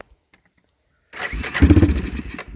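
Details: 1999 Yamaha Big Bear 350 4x4 ATV, apparently long stored outdoors, on starting fluid with choke tried: catches with ragged chuffs for about a second and a half, then fades out; fires briefly then dies.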